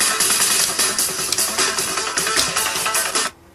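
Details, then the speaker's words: Electrolytic capacitor audio test, 22 µF capacitor swapped against a reference: music plays cleanly and fully, with no distortion and no dropout; capacitor judged good. "that one sounds all right we switch it between that one and the other"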